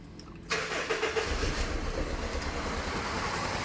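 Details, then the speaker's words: Honda Civic FD, R18A engine shaking after assembly and sensor swaps: uneven, lumpy idle with a stumbling beat. Unplugging cylinder 3's coil changes nothing, so the ignition signal isn't reaching that two-pin coil, causing a misfire. "นะครับยังเหมือนเดิมนะครับแสดงว่าไฟไม่จ่ายมาที่คอย2ขั้วนี้นะครับ"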